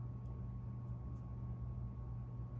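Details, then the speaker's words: 36-inch Hampton Bay San Marino ceiling fan after its bad capacitor was replaced, running on low: quiet, steady motor hum with a wood stove rumbling in the background, no ticks or scraping; the fan runs fine. "If I didn't have the wood stove running in the background, I probably could hear the motor hum a little more. Actually, I can hear it a little"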